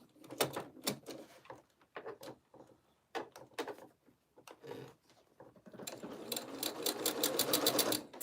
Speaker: Can you hear my sewing machine ticking? It's working hard this morning. This is definitely a thicker thing to sew.